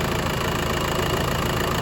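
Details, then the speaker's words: 2010 Jeep Patriot 2.0 CRD (VW 2.0 TDI PD), fully up to temperature, recorded from underneath checking leaks, bone dry; smooth even diesel clatter at steady idle, no knocks or misses; normal warm idle. "the engine is completely completely up to temperature no leaks there nothing up there in them funny bolts it's bone dry"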